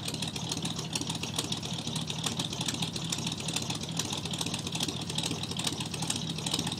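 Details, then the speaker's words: 1985 Chevrolet pickup with carburetor and electric choke, cold start around 30°F after sitting three weeks: slightly loose lumpy idle that seems near stalling, settling toward an even idle; normal cold idle. "It almost sounds like it's gonna die, but it won't. And I think after the electric choke tells it to, it's gonna open up a little bit, and then idle will start smoothing out some."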